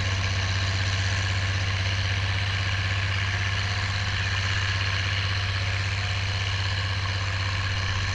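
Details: Oliver 1550 diesel tractor dragging a John Deere BW disk after whatever was in the fuel system cleared out; an even, low rumble holding constant under the drag with no misfire or hunting. Normal, smooth running under load.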